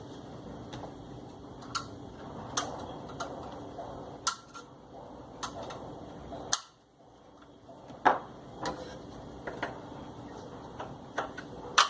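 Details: Top-loading washing machine during agitation, after the noisy agitator mechanism part was replaced: sparse, sharp single clicks every few seconds against a quiet background, the ordinary ratchet tick of a sound agitator.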